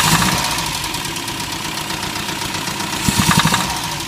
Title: Mini Rod Knock